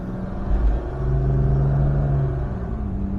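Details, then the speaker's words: 1967 Jaguar Mark 2 3.4 automatic: on a test drive it pulls cleanly, tone rising then dropping as it upshifts, reaching about 60 mph, with no stumble, popping or hesitation; normal acceleration. "And there it shifted. Yeah, sorry, I wasn't pushing that hard, but we are doing 60 miles an hour, which is way too fast for where we are."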